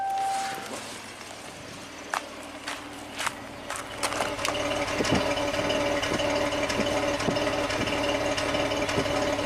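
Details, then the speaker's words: 2019 Jeep Cherokee V6, 115,000 mi, P0305 cylinder 5 misfire, still present after a shop replaced all six injectors. Heard at the exhaust pipe at idle: cyclical rough stumble about twice a second. Low compression is suspected, not confirmed. "Let's listen to the exhaust pipe. [Applause] Definitely not happy. Boop boop boop boop boom. It's kind of cyclical. It's not every engine revolution. It's definitely very rough."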